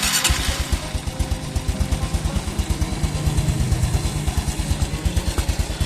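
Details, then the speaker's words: Small single-cylinder motorcycle after fresh Shell Advanced AX7 10W-40 synthetic-based oil change, warming up: even regular putter about three beats a second at idle, no ticks or knocks, smoother than before; normal idle. "mengaku sementara bunyinya juga jadi lebih halus karena ukurannya tentunya sama yang kalau kemalaman"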